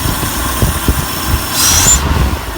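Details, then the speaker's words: Ford F-100 carbureted V8 just started: even, steady low idle with no ticking or tapping over the exhaust note, and it is not smoking. "need to definitely need to smoke and it's not smoking that sounds nice nice car"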